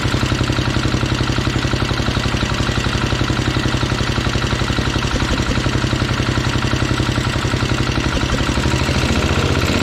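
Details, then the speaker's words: Minneapolis Moline 114 garden tractor's Kohler 14 HP single-cylinder engine idling with a steady pulsing beat and a dull knock from the top end, not the cover hitting; owner suspects the engine is simply worn out. "so that confirms you can hear it kind of knocking up here in the top end so just wanted to make sure that it wasn't something hitting that cover"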